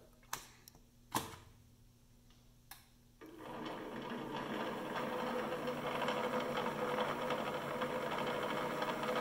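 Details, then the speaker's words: PM-728V-T mill spindle on high-speed pulleys, about 833–1600 rpm, quill still functional: clicks, then spin-up with a fast light rattle. This is resonance from clearance between the spindle and drive pulley spline; otherwise fairly quiet. "I'm on the high-speed set of pulleys right now that is 833 rpm 1600 rpm so it's pretty quiet I can hear that a little bit of that resonance there the clearance between the spindle and the drive pulley bit but all in all fairly quiet"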